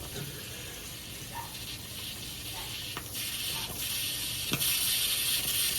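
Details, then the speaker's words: Old La Pavoni espresso machine with no gauge, after a switch fix, with a heating element issue and a slight gasket leak noted. A faint hiss swells into a steady, strong steam rush as it reaches pressure, and the steam venting sounds normal. "You can just see the steam, so I think I have it at the right. There we go. We'll listen for the sound."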